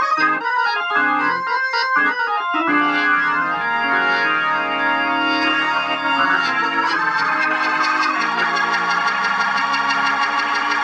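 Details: Organ chords and runs through the amplifier come through clean and full, no breakup, fuzz or crackle, after replacing cheap 0.047 µF 1600 V and 0.1 µF 600 V capacitors; amplifier healthy.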